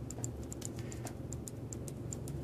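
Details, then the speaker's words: Verge fusee watch during assembly, starting to run after the escape wheel is released. The ticks come in uneven short-long pairs: off-centre and out of beat. The fix is repinning and adjusting the hairspring. "now there's enough energy and it's starting to go but I can hear it's not taking right it's it's off-centered"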